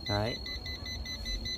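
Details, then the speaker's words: Quick high chirps repeating several times a second in a quiet room: a 5-line cross-line laser level's tilt alarm sounding because it is tilted beyond its self-levelling range. "mà nó bị nghiêng này thì nó sẽ kêu như mày ra nhé nó Kêu chít chít này"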